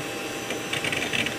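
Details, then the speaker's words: Vintage Socket 7 PC (K6, 64 MB RAM, FreeBSD) with a SCSI hard drive during detection: quick irregular ticking and chattering over a steady hum; drive heads seeking normally. "gotta love the sound of those vintage hard drives"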